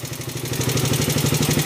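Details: Raider 150 single-cylinder motorcycle idling with a steady, rapid metallic valve-train clatter over the exhaust beat; noisy since recent work, cam housing found scored on the intake side.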